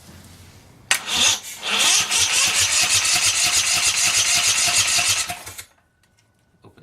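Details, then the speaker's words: 479cc V-twin drift trike engine: cranks, catches and runs with a lopsided uneven beat near 200 a minute, then dies. A spark plug lead was off, so only one cylinder was running. "We dropped a spark plug off over here. Only one cylinder is running. That's why I started her off."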